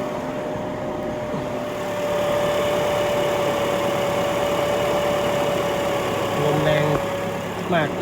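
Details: Car whose A/C stops cooling at red lights, after adding a 12 V extra fan on the A/C condenser, engine running with A/C on in hot weather: even idle with a strong steady airflow rush; condenser fan running normally.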